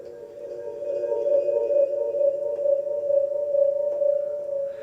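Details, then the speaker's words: Elgato HD60 S capture card with Blue Yeti mic: steady mid-pitched ringing, echo-like drone that wavers slightly, present only when the mic is used through the Elgato, normal on its own; cause unknown. "so it has an echoing noise and like I can't really explain what kind notices but it's really annoying and I can't get rid of it"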